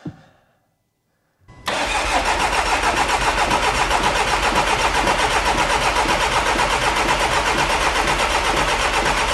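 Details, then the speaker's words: 6-month-old VW Transporter diesel van, about 3,000-3,500 miles, misfuelled with petrol and run until it stopped; after fuel pump priming and battery change, it fires after a pause and runs loud, slightly lumpy as petrol purges through the injectors. "oh bit lumpy go on get the petrol out oh she's a she's a bit lumpy go on get the petrol out I hope it's not permanently lumpy"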